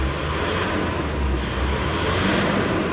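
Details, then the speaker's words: Mitsubishi 4D56 diesel after clearing P1275 for hard start and knocking; coolant 83°, fuel pressure matching target. Smooth normal idle, steady low rumble, no vibration or rattle. "بفضل الله عز وجل يا احباني صوت المحرك كثير ناعم وعادي وما في اي اهتزازات او اي رج"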